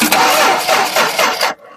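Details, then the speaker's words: '69 car cranked with a microphone near the engine to show what cranking means: quick rhythmic starter cranking for about 1.5 seconds, and the engine never catches. Crank, no start. "so this is what you have to do when you tell the mechanics that the car don't start but it cranks because if it cranks then it's a totally different thing"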